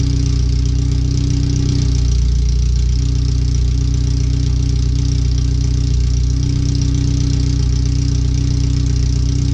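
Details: First startup after new header, fuel filter and differential work, O2 sensors moved and wideband bung added: very loud, raw, steady idle drone with no muffling, exhaust open right after the header; computer read 5–7% rich at idle in closed loop.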